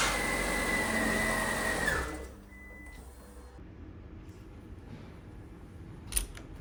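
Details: Fiat 500 squeak on startup: high steady squeal over about two seconds of cranking, cutting off as the engine catches. Caused by the starter Bendix drive sticking; fixed by lubricating or replacing it.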